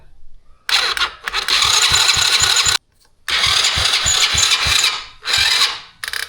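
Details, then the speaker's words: Old carbureted four-wheeler, choke being adjusted during start attempts: rapid clicking chatter, about four a second, and the engine never catches. Likely the starter solenoid clicking because the battery charge is too low. "All right, so that is what happens when the electricity in the battery is too low. And what you're hearing, I think, is the solenoid on the starter."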